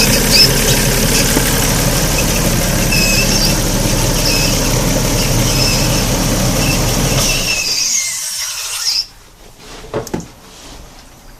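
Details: Alfa Romeo GTV V6 running with steady high squeal, then shut off to drips and ticks; radiator had been hissing, leaking air and coolant.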